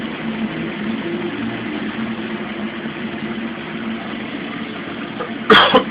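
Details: Mueller Special Brazilian washer, cold-fill-only machine that heats water itself, duvet load on 60°C wash with extra rinse, start of cycle: steady rush of incoming water over a low hum, no knocks or grinding; normal cold fill.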